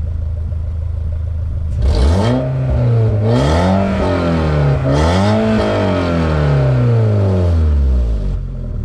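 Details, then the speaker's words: Mk4 VW Bora wagon after a muffler delete with a broken exhaust pipe: three throttle blips give a loud, deep, open drone rising and falling with revs; mostly an exhaust leak, felt underneath while driving. "And this is like half muffler delete, half exhaust leak, mostly exhaust leak. I can feel it like right underneath me."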